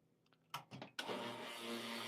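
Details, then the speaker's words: Lelit Bianca espresso machine pump with the flow control wide open at full pressure: after a couple of clicks the pump kicks in with a loud, steady buzzing whir, noisier than it should be; the noise disappears when flow is lowered. "okay so this pretty loud but if I'm going to lower the pressure okay the uh the flow flow control so I'm going to start with the full full pressure"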